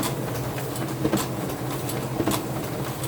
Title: Clicking noise on sp5300dn